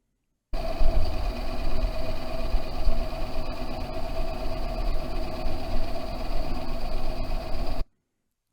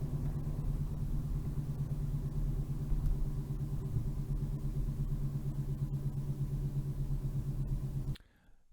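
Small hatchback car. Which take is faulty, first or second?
second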